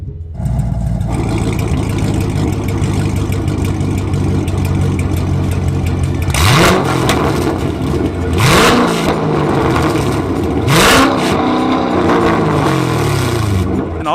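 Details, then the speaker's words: Corvette C7 Stingray after a new aftermarket exhaust replaced the hacked-up factory exhaust, being revved: a deep, even V8 rumble with clean blips and no rasp or drone. It is a healthy exhaust note. "nd since it comes through a finely tuned Muffler it sounds good no matter what mod you're in"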